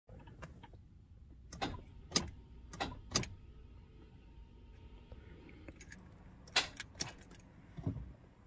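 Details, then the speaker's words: Toyota Land Cruiser Prado with a Denso starter (1KZ-TE): sharp single clicks when the key is turned, with no cranking, from a faulty starter motor with worn solenoid contacts. "everyone so hopefully you heard that when you try and start your vehicle if you just hear that click that's an indication that starter mode is playing up"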